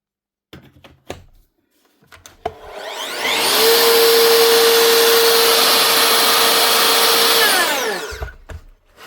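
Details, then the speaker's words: Makita SP6000 corded plunge saw, 2015, after replacing burnt-out motor armature and brushes: clean spin-up to an even high whine holding steady at full speed, then smooth run-down; healthy at full power. "One Makita plunge saw, the SP6000 with a brand new motor. Now, hopefully running like a brand new machine again, with full power."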